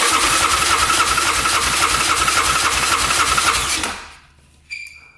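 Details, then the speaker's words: 2009 Yamaha Grizzly 550 EFI ATV, compression test with the throttle open; steady, even cranking reads only 80 PSI, which is low, though a decompression mechanism may account for it. "Ooh, that's only 80 PSI. That's pretty low. But I'm guessing there's that decompression mechanism in there."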